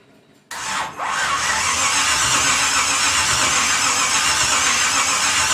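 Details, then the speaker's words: 1950 Pontiac gasser with 350 and 6-speed, restarted after swapping Champion plugs for Autolite plugs and adjusting idle screw: catches within a second, brief stumble, then steady even idle with hissy top end; runs better, normal idle. "So we got that thing running. It seemed like when he changed the spark plugs out, he had Champions in there when he first bought the plugs a while back, and now he had a set of auto lights put in there, and it seemed like it ran better."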